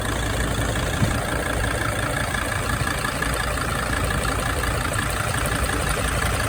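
Diesel idles steadily with a light, quick tick repeating over the usual clatter; an engine ticking whose source isn't pinned down yet.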